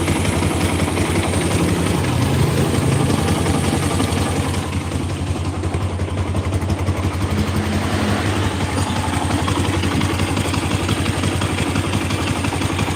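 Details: Bison motorcycle with a rough engine and a "tek tek tek" ticking. Rough idle with a quick, uneven tick of about three a second, needing teardown to trace. Teardown afterward finds dirty oil, red sealant and missing bolts.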